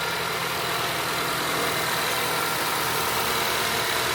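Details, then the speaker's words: Acura TSX Wagon K24, just after VTEC actuator replacement: steady, even, smooth idle with no ticks, knocks or hunting; healthy four-cylinder, everything sounds great. "K24, baby. >> It's finished. It's running. Everything sounds great."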